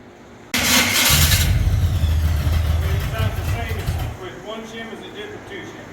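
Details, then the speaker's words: Small-block Jeep starter after adding shims: harsh, rough, gritty cranking with uneven engagement for about 3.5 seconds. The flywheel and starter are damaged, and the shims did not help. "there was damage on the flywheel and the starter we were hoping that a couple of shims would uh limp it along but one shim two shim three shim no buo"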